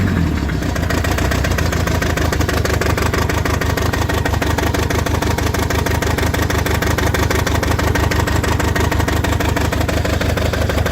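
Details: Toyota 22R-TE engine misfiring at idle: regular lumpy beat, about three stumbles a second over the exhaust note, one cylinder missing.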